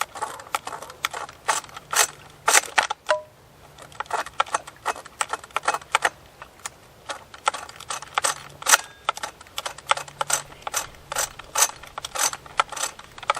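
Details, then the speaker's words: Ported vintage 80cc chainsaw (Stihl 056 or Husqvarna 281) during pull-start: repeated pull-cord rattles and clicky ratcheting without catching; recoil-side plastic gear chewed up in pre-run, starter slipping from worn drive gear. "this one here it chewed up that uh clutch or not the clutch The Recoil side uh plastic gear inside of there I don't even know if it's going to run"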